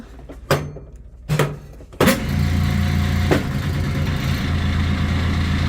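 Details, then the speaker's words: Washing machine running after lid clunks: steady rough low drone with gravelly growl; failed washer transmission. "yeah it is a transmission I got to take with me because I don't have the transmission okay you have no good transmission yeah I don't know why went out but those things happen"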